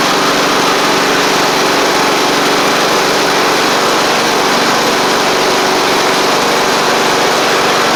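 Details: Sabre riding mower with a replaced head gasket, blades not yet fitted: a smooth, even small-engine buzz at a steady speed, no misses, knocks or hunting. Smoke is residual oil burning off from the old gasket, and the engine is healthy.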